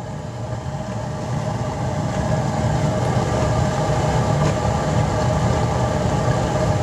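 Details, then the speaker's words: Horizontally mounted waste-oil burner running on waste engine and vegetable oil after preheating; fuel was backed off until smoking stopped, then eased back in. Steady deep roar swells and holds even, no sputter; burner firing cleanly. "wait till it uh stops smoking and you'll hear the uh change in the flame and then you can just uh slowly ease the the fuel back into it"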